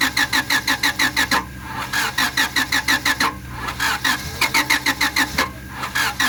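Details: 1997 Honda Civic that cranks but won't start; the starter turns the engine steadily at about three revolutions a second in bursts and it never fires.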